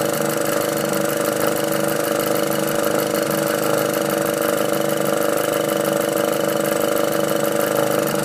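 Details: VW Golf R at idle after a catch can was installed: a steady hum with a light, fairly regular tick about three to four times a second on top. Abnormal noise, source unclear.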